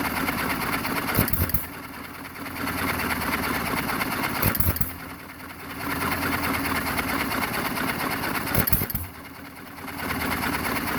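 Firing bursts about every three and a half seconds, each followed by a quiet coast-down; even, clean hit-and-miss cycling, running healthy.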